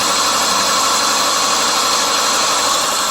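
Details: 2001 Subaru Legacy after botched water pump job, upper hose replacement and overheating, timing belt set exactly; uneven shaky idle with irregular pulse and heavy hiss, no clear knock. Rough idle, cold; cause suspected, not confirmed.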